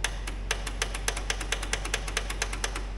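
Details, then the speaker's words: Old Wheel Horse garden tractor, sat for years, battery about 12 V, in neutral: rapid dry clicking about five a second with no cranking, a bad starter solenoid whose plastic is melted with a bent stud. "you guys hear the solenoid clicking H so here's a giveaway that our solenoids bad"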